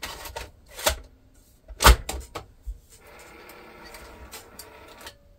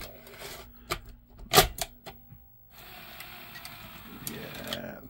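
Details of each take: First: Sony SL-F1 Betamax video recorder bought from eBay, first power-up before service, video head dusty: clicks and clunks, then a faint dragging motor whir; tape loads slowly, rewind very sluggish, consistent with a slipping belt. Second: Sony SL-F1 Betamax video recorder after belt replacement, tape loading test: crisp mechanism clicks, then a quick, even motor whir settling to a steady run; ejector fast, tape loads cleanly and promptly, mechanism now healthy.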